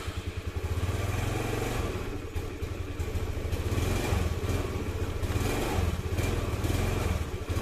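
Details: Honda Beat FI scooter chugs unevenly and dies or sputters when throttle is opened, lacking power; likely weak fuel pump pressure, with TPS sensor and spark plug cap also suspected; to be checked with a pressure gauge.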